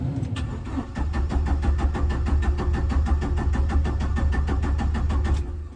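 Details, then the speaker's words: 1997 Jeep Wrangler TJ SE 2.5L four-cylinder manual, ~204,300 miles, sat a month, just fitted with remanufactured PCM: rapid starter chatter about five seconds, never fires; battery voltage then reads 0; later found crankshaft position sensor left unplugged. "And it's not working. And now the battery voltage is at 0."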